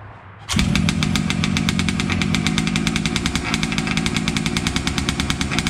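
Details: Losi 5T 2.0 RC two-stroke, first start after sitting four to six months, fresh VP fuel, choked: fires after a short pull, then a rapid, even buzzing run with no stumbles; normal running.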